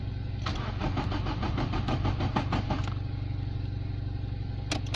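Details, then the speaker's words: Nissan Bluebird after head gasket replacement, cranked coil-off to build oil pressure: even starter chug about five compressions a second for nearly three seconds, no scraping or clunks; normal cranking. "that sounds okay to me I'm going to declare that success"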